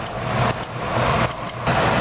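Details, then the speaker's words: Gas furnace after a blower motor refit: a steady blower rush with sharp clicks at irregular intervals, as the solenoid/relay on the control circuit board that controls the blower motor clicks erratically. The fix is replacing the circuit board. "solenoid that controls the blower motor is clicking erratically so I'm going to need to replace it"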